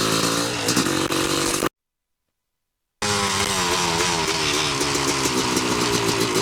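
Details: 1986 Yamaha YZ250 two-stroke, unrun since 2015, good compression, started on choke with a borrowed carb and throttle from a 1975 250B MX: crisp ringing idle, picks up cleanly, revs freely without bogging or spitting; healthy, strong engine.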